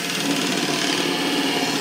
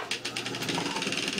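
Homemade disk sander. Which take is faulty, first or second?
second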